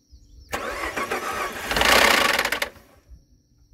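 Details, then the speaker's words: 2013 Ford F-150 3.5 EcoBoost FX4 being rebuilt, first start: engine catches and fires into a rough, rattly burst for about two seconds then shuts off; abnormal start-up noise, owner suspects a cam phaser. "sounded very weird it started which is odd um but I'm going to go ahead and put the fuse back see what we got here that sounded very weird kind of like a cam phaser which is not going to be good if it is"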